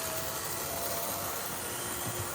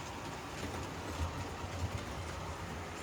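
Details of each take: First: HO scale model locomotive, long unused in its box, test run: loud even whirring grind at constant speed with no knock, noisy motor and gears; noise later went away once gears were run in. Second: HO scale model locomotive after unboxing and test run: steady, even low hum with light rail clicks, no gear whine or grind; gears wore in, speed rose on its own, earlier noise gone, now normal running.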